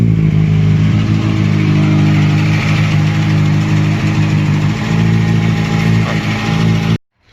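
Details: 2007 Kawasaki Ninja ZX6R after replacing a bad coil pack, previously running on 3 cylinders with loss of power; hard to start but now runs as a smooth steady four-cylinder hum, revving evenly without stumble, then shut off.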